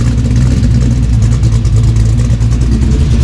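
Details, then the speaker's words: LS-swapped 1992 Dodge Dakota V8 after fitting a catch can, capping the throttle body and adjusting the idle screw for a suspected major vacuum leak: deep, steady, even idle, sounding good. "I did make a little adjustment on the idle screw. I think it had a pretty major vacuum leak. It sounds good."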